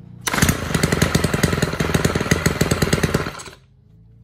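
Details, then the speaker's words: Stihl KM 90 R KombiEngine two-stroke trimmer that wouldn't stay running, after turning the carb adjustment about three quarter turns; rapid, fairly even buzz for about three seconds, now running by itself; normal running. "it'll basically run by itself now"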